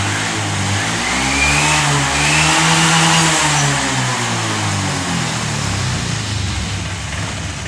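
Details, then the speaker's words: Honda Vario 125 FI that would not rev when throttled, after replacing a clogged/dirty injector, fuel pressure steady at 40: picks up cleanly from idle, rising smoothly to strong rev and easing back, no stumble; fixed. "Yang di awal tadi kita tarik handle gas secara spontan, motor ini tidak mau naik gasnya. Sekarang sudah sembuh teman-teman."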